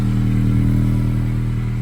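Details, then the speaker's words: 2007-2011 Honda CR-V at idle, recorded under the car before repair. Steady low puffing throb, raspy and rhythmic. Exhaust leak through a rotted-through resonator in an aftermarket cat-back exhaust; the OEM muffler has no holes. "Here's the farting problem. It's all rotted through."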